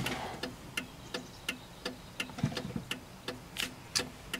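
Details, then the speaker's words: 1995 Cadillac Fleetwood left turn signal after repairing the bulb socket: crisp, even clicks about every third of a second, steady like the right side, no speed-up with brake (previously fast); normal flasher. "well I'm happy to say that I finally fixed the problem when I turn the blinker on it blinks at a steady pace like the right one"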